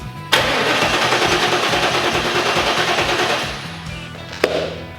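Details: 1994 Trans Am (F-body) after replacing ICM and coil pigtails, battery charged: steady starter cranking about three turns a second with no firing; no spark, owner suspects wiring, ultimately traced to a blown ignition fuse.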